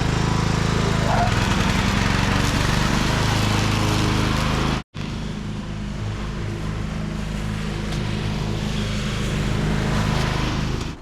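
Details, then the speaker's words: Craftsman riding mower after fixing clogged muffler: steady low engine drone with even firing, one brief cut then smooth restart; runs and drives normally. "Well, there you go. Runs and drives."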